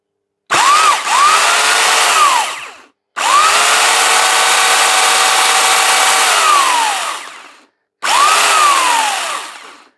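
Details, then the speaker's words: Salvaged electric garden tool motor; three clean bursts spinning quickly up to a steady high whine, then winding down smoothly with no grinding or rattle; earlier smell noted, but runs all right. "it kind of bursts into life a little bit quick but I guess that's what electric motors do they're either on or off aren't they generally"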